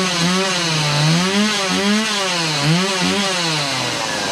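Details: Stihl MS180 chainsaw after fuel line replacement, running indoors on half choke: small two-stroke revving up and down as it warms, picking up cleanly each time; saw runs properly.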